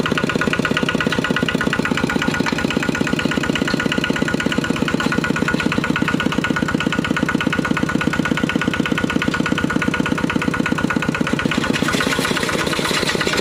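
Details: Used 12 hp RT120 single-cylinder diesel tractor with Sai Fah ZR frame and manual gearbox, test-driven: steady, even chug at about 170 beats a minute, no knocks or misses; normal healthy running.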